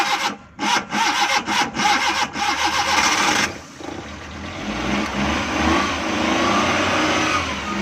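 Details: Suzuki Ravi (Bolan) van after its morning starting problem was fixed: several choppy cranking bursts, then it fires and holds a smooth steady idle without stumbling; normal start and idle.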